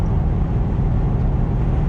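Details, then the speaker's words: BMW E34, straight-piped exhaust with stock resonators, highway cruise at about 80 mph and about 2400 rpm, in-cabin: constant deep booming drone filling the cabin over road noise; noticeable exhaust drone, would be worse without resonators. "you know there is there is a noticeable drone if I didn't have to stock resonators I'm sure it would be a lot worse"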